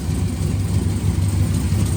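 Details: Freshly rebuilt V8 with a stage 3 cam: deep, even idle with a steady lumpy cam rhythm and no knocks or ticks; healthy normal idle.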